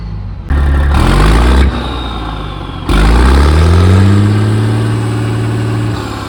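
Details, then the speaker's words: Caterpillar 3406E diesel in a D350E Series 2 haul truck front section, 18,676 hours, run until slightly warm: deep even rumble rising smoothly with throttle and settling cleanly, no misses or knocks; good oil pressure, no bad blow-by, rear oil leak. "it's held good oil pressure the whole time it sounds good it runs good I think that's good enough for me"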